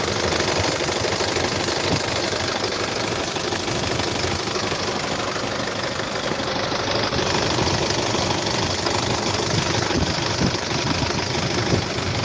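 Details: 2014 Isuzu D-Max 2.5 VGS diesel pickup, 70,000 km, first cold start of the morning: steady diesel clatter at idle with even rhythm settling smoothly, no misses or knock, no smoke or vapour; healthy engine.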